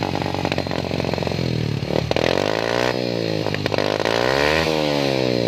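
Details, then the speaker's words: Yamaha Jupiter single-cylinder with its stock exhaust hollowed out, blipped up and down: loud, raspy open exhaust with a ragged, uneven beat; rough running, carburetor or a dead spark plug suspected. "Eh temen berdiri ya hasilnya udah masalah kayaknya dikarbu ya jadi mestinya dengan atau ah businya mungkin mati seperti itu"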